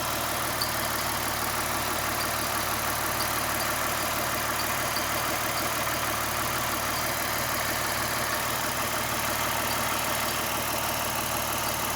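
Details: 2009 Lexus IS350 at idle after aggressive driving: faint light high chirps/ticks coming and going over the engine hum; worn serpentine belt, noise gone after replacing the belt.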